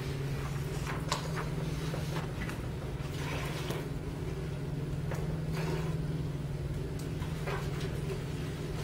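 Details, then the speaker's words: Small pump rated 1/120 horsepower, with plastic tank, pump and pipe: steady motor hum with irregular crackling pops as the pump cavitates, starved of energy on the suction side. "so this pump is in cavitation listen to it can you hear it this pump is in cavitation it means that the pump is starved of energy on the suction side"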